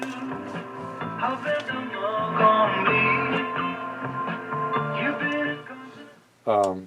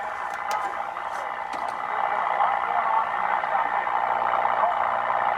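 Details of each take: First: Philco 38-7 radio after its capacitor blocks were repacked and the volume control repaired: music comes through clean and full at steady volume with no hum, crackle or fading; the receiver is weak but sounds good. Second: Restored Philco 38-7 radio on the AM broadcast band: steady raspy hiss and crackle over the station with no clear rhythm. Interference swamping reception, possibly from a running furnace nearby.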